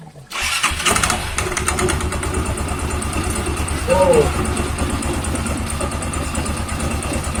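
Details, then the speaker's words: Yamaha Xeon scooter CVT after replacing a wobbly, wrong-fit one-way starter clutch that caused rough rattling: fires up and settles into an even idle with a small blip, the rough noise gone. "Wah, suaranya hilang. Ah, tidak ada lagi suara berisik."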